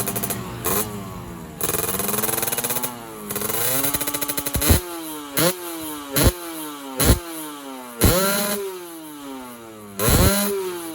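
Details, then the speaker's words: Two-stroke motorcycle engine after block rework, now idling smoothly with normal radiator water: repeated sharp revs rise fast and fall back, but the top end sounds flat and lean. Main jet size to be increased. "Bagian atas mesin masih bekerja terlalu irit. Jadi, kita perlu melakukan apa ya namanya ? Coba setel lagi. Kita akan memperbesar ukuran jet utama, oke?"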